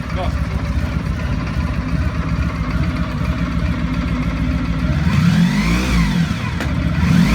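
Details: 1995 Honda Pan European ST1100 motorcycle with new timing belt; big four settles into steady even low hum, then lifts smoothly with a throttle blip, no knocks or rattles: normal engine running.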